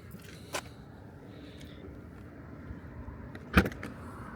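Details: 2014 BMW i3 with aftermarket proximity comfort access kit, approached from the back: light click, then about three seconds later one sharp clunk as all door locks release together; normal unlocking.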